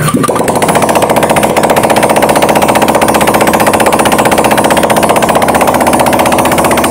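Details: Honda Vario 150 LED scooter, coolant mixing into engine oil, refilled with used oil and full radiator, test start: fast even steady putter, no misfires, knocks or rattles; radiator water calm, normal idle, mixing still to be checked.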